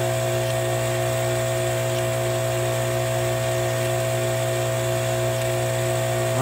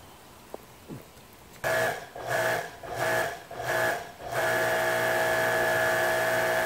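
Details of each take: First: Kärcher electric pressure washer, 10–20 years old, with intermittent motor noise when fully pressurized; powered on with no visible leaks, expected to stay running under pressure; even, unbroken motor hum with steady tone, no surging or cutting out. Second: Electric Kärcher pressure washer, 10–20 years old, with intermittent motor noise when fully pressurized, worsened after hammering during repair: motor hum pulses then holds a steady whine, no spray, not sealing, won't shut off via the off button.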